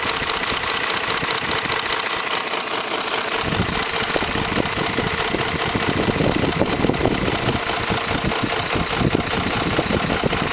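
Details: 2004 Ford F150 5.4L 3V at idle: rapid, uneven slapping tick about twice a second, timing chains slapping the engine block because the tensioners failed; fixed by replacing cam phasers, timing chains and tensioners.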